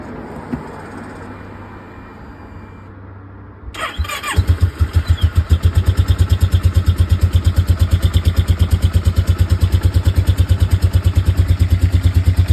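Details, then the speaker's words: Kawasaki ER6 twin-cylinder motorcycle at idle with one cylinder misfiring; the owner fears low compression but it may be electrical, not confirmed: starts and idles with a heavy, lopsided beat, about three pulses a second. "today it's going to have a look at my er6 I've got a few problems with the cylinder um I'm really hoping it's not the compression"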